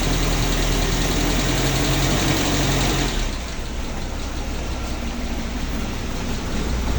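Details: Suzuki Katana (Jimny) with an engine-driven radiator fan, idling stationary while warming from about 38 to 52°C, waiting for a thermo-switched extra AC fan set to cut in at 65°C: even idle with a low pulse near 220/min, no misses or knocks, healthy.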